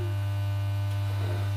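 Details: Mocked-up valve amplifier power supply under test with music playing: steady low hum under the output with no change or rhythm; mains hum, source not yet identified.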